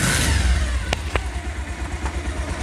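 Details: Old Bajaj Pulsar motorcycle engine after an engine sound fix: short, clean rise and fall of revs, smooth exhaust note, no knocking or rattle; sounds healthy.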